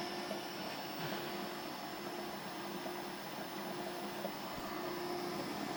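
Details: Orbitalum Orbimat 165 CA orbital welder power source, quick function test with start weld: steady even hiss of flowing cooling water and shielding gas over a soft hum, no dropouts; running properly.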